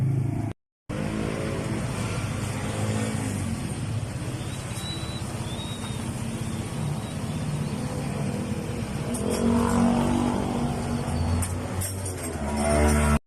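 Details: Yamaha Mio i 125 scooter with noisy running and oil consumption. It idles unevenly with a loose, irregular tapping of about four knocks a second under the exhaust note, and the speed hunts slightly. Unstable idle with knocking; cause not confirmed.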